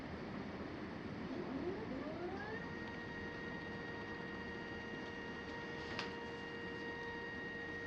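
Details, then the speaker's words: Astro-Physics Mach2 equatorial mount after right ascension belt adjustment, slewing at 1800 go-to rate: motor whine climbs smoothly then holds steady pitch with no vibration, shudder or rattle; earlier vibration possibly a fluke. "you know no vibration no sound quite interesting so may have just been a fluke the other day full moon who knows"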